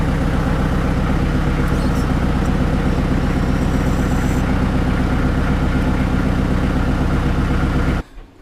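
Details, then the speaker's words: Kubota L48 backhoe, diesel at idle after resealing hydraulic pump 3 (swing pump), which previously failed at idle: even low thrum with no strain or whine as the swing moves; normal hydraulic operation. "Start it up at idle. Let that fluid circulate a little bit. I don't see any leaks. See if we get anything out of this swing. I've got the safety pin in it right now. There we go. Bam."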